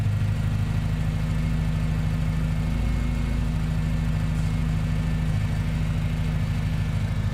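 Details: Wideband O2 signal dropping from 4.11 V to 0.51 V so the ECU thinks it runs super rich: low, lumpy idle with an uneven beat of about two and a half pulses a second, hunting as if to stall; rough idle.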